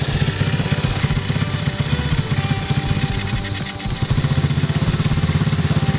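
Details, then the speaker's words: 2016 TAO pit bike, carbureted single, idling with centrifugal clutch, choke tried, won't take any throttle: uneven, lumpy putter barely holding idle; carburetor suspected, carb to be pulled. "Alright guys, well, we're going to pull this carburetor off because it's just not running after at any amount of throttle. We can only get it to idle just barely"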